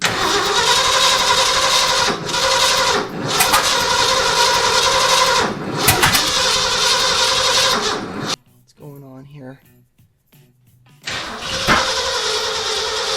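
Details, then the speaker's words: 1979 Ford F350 V8, first start in about 15 years after sitting in a field: uneven cranking that catches and stumbles without settling into a run, cylinders misfiring because plug wires were in the wrong firing order (1-2-3-4-5-6-7-8 numbering). "I looked it up on my phone to double check that I wasn't doing the wrong firing order. Anyways, I was."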